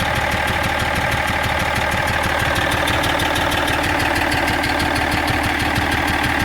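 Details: BMW E46 330d diesel at idle with fast regular ticking clatter about three per second; abnormal engine noise whose source no garage has found.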